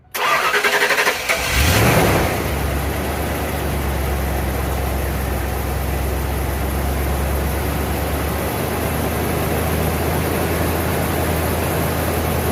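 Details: 1992 Ford Bronco towed home not running, first start with coolant almost empty and oil overfull by a quart: cranks about two seconds, catches, slightly uneven idle that steadies; rough idle, smoothing up.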